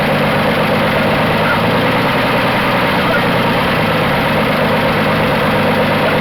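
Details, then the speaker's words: 1980 Dodge D150 at full operating temperature after a half-hour drive, restarted to bring down the too-high idle: a steady, even idle with no knocks or misses, now slightly lower and a little better. Normal warm idle. "my biggest complaint is it still seems to be idle in high so let me fire it back up see if we can't get the idle down a little more"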